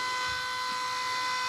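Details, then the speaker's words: Electric oil scavenge pump for a rear-mount turbo oil return on a RAM 1500, bench demo running dry with no oil; constant high electric whine with steady pitch and no rattle or labouring. Normal dry running. "it's already pumped on what I had in there which is nothing so it's good it can run dry that's what I want"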